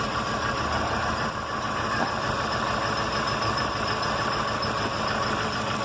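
Steady idle with a faint thin high-pitched whine riding over the engine; something is off, but the source can't be pinned down by ear.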